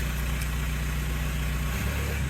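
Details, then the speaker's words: Mk4 Jetta TDI diesel with a home-welded modified exhaust: steady low idle with a rev blip, the exhaust loose and chuffy rather than sealed; it leaks all over. "all right guys so as you heard it sounds like leaky leaky leak it leaks all over the place"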